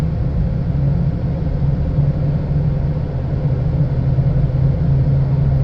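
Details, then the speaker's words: 2010 Chevy Impala driving: constant low drone with faint hum over road noise; sounds like a slight wheel bearing noise, which wheel not yet determined; power steering also whines slightly. Suspected, not confirmed. "I do hear it sounds like wheel bearing noise um and that's really pretty common on an Impala wheel bearings are um almost a um something that that always Happ has to be replaced"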